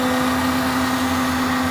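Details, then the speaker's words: Newly bought Daihatsu Rocky running with a leaking fuel pump that dumped fuel after washboard roads: loud steady high-pitched whine over the engine, vibration felt through the hard lines; suspected super cheap pump. "ah but i can feel the vibration from the pump through these hard lines it's unbelievable that has to be a super cheap unit"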